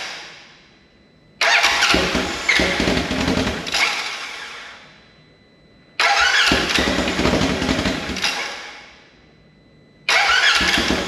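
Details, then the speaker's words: Rebuilt wrecked 2016 Polaris RZR 900 S on new frame with swapped transmission cases: loud open-pipe bark, revved three times and easing back, pulling cleanly; engine running normally after it finally started. "yes yes that was it foreign make sure she runs okay that's good news that is fantastic news"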